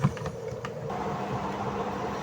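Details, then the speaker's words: Eureka 6.8 spin dryer that would not spin or hum, after repair with timer refitted and back panel off: brief clunk at start, then the drum runs at a steady, even hum; normal spin. "So sasaksak ko siya. So yun umiikot na. Ayan oh. Yon. So goods na."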